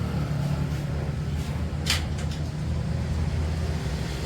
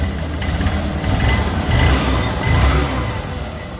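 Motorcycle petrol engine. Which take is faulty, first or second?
first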